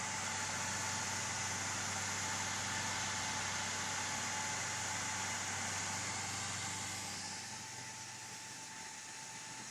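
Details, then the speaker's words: AMD FX-8350 stock CPU cooler fan under load, near its 6,000 rpm maximum with the CPU around 69°C, before being swapped for a Cooler Master Hyper 212 EVO: a loud steady whoosh with a thin whine that eases near the end. "Actually, it's close to 6,000 RPM now. pretty noisy. It reached actually the maximum here is 6K."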